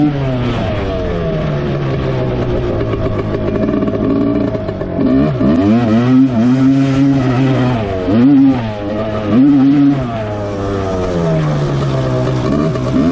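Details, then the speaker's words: 1986 Suzuki LT250R two-stroke quad riding: revs climb under load then flare free as it pops out of every gear above first into neutral; gearbox jumping out of gear. "so every gear besides first gear you can hear it drop back into neutral um seems like there's neutral between each gear after first gear"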